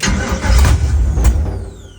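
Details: LS-swapped 1972 Chevy Nova, start attempt after five years of work with a newly wired PSI harness and plumbed fuel: the starter churns with a heavy low chugging and the engine almost catches, then winds down without running. Hard start; it fires on a later, longer crank.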